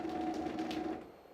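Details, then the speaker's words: Elegoo OrangeStorm Giga 3D printer during leveling: steady two-note stepper-motor whine for about a second, occurring because the gantry was all the way up. Normal leveling motor noise. "okay so it's just making that noise because the Gantry is all the way up that's good to know"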